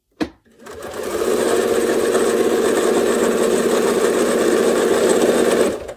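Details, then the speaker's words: Sewing machine during free-motion quilting demo, speed setting turned all the way up and foot pedal pressed fully down: fast even whir with rapid steady stitching patter; machine at maximum speed, producing very tiny tight stitches. "now i'm going to turn the speed on my machine all the way up to the top and i'm going to press the gas all the way down to the bottom"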